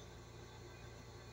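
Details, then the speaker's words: 10-year-old Electrolux window air conditioner after fixing a tinny fan rattle: quiet steady low hum with even airflow, only the normal sound of the rear fan blade. "esse barulho é o barulhinho normal mesmo da hélice de lá de trás"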